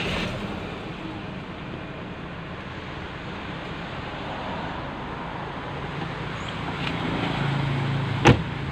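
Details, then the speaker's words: BMW E46/E36 buyer check at idle: quiet, even idle hum with no ticking, knocking or pulley squeal; fairly smooth, healthy idle. "Kalau suaranya kayak gini, ini bisa dibilang lumayan halus."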